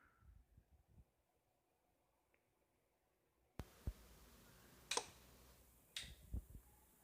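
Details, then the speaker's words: Zebronics dual 12 V battery home-PC UPS being plugged in and switched on: near silence then a sharp click and scattered ticks instead of a beep, also on switch-off; a switching glitch sound. "Whenever I turn on, you can hear a glitch sound, not a beep sound. It's a glitch sound in the UPS."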